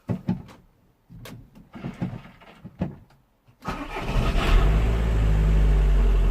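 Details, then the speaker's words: Audi with electrical and charging gremlins, started after hours of fault-finding (about 11.9 V, 14.5 V with reg on): a few clicks, then the starter catches at once and the engine settles into a steady, even idle. Starts cleanly. "It's alive! Again."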